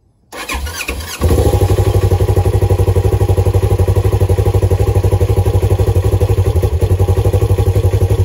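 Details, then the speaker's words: Polaris RZR XP4 1000, first startup in freezing weather after fitting a Tusk automatic cam chain tensioner. It previously knocked loudly for about 10 seconds on startup; now it settles into a steady, even idle with no knock. "but this is my first startup in the really cold weather you can see everything's frozen let's see what she sounds"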